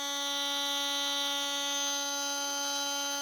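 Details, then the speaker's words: RC brushless motor after bearing replacement, first cold test at 33,000 rpm: clean, steady high-pitched whine with no grinding or roughness, no longer making noise. "not bad it's not grinding no more making any noise"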